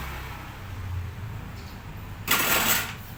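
Slow, labouring crank drags on for about two seconds before it finally catches with a burst; a hard-starting engine.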